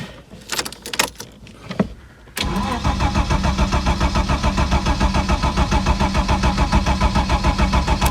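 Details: Ford Sierra Mk1 Estate 4x4 Ghia 2.8i, spark confirmed at king lead: starter cranks steadily about three and a half beats a second for several seconds, never firing; cranks, won't start; owner spraying brake clean past the throttle flap, cause unconfirmed.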